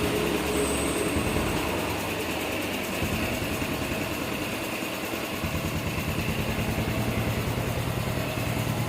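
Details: Honda Revo Fit FI motorcycle after repair (valve clearance 0.10, piston oversize 50; battery weak at 11 V, 10 V cranking), previously hard to start without full throttle: even steady single-cylinder beat at fast idle, no knock or tick; running smoothly.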